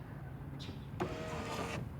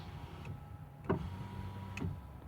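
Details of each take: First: 2006 Ford F150 5.4L 3V 4x4 driver's power window, master switch held up: motor hums evenly under a second, stops after two to three inches with switch still pressed; down works fine; faulty master window switch. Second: 2006 Ford F150, 5.4L 3V 4x4, front passenger window: a quiet, steady motor hum as the glass goes up, with light switch clicks and no grinding; normal operation. The fault is in the driver's window master switch.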